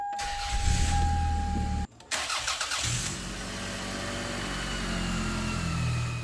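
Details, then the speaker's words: Engine started right after replacing the exhaust manifold gasket, cleaning carbon from the flange, replacing rusted bolts and torquing to 36 ft-lbs. It catches and settles into a smooth idle with no ticking or puffing at the manifold. Exhaust leak fixed, normal running. "makes less noise and exhaust sounds look great."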